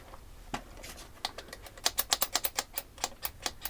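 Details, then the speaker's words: Traxxas Kraton RC truck, new out of box: sharp clicks as it is rocked by hand, lots of driveline play; suspected missing O-rings, not confirmed. "um definitely sounds like there's a ring missing a lot of play"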